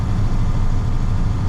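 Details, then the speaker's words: 1998 International 4700 DT466e diesel on test drive after high-pressure rail gasket replacement, around 1500-2200 rpm in sixth: deep, even low rumble with smooth steady pulse, no clatter or knocking; healthy, quieter than a 7.3. "is much quieter than the 7-3 I have to say and hopefully it won't uh won't leak"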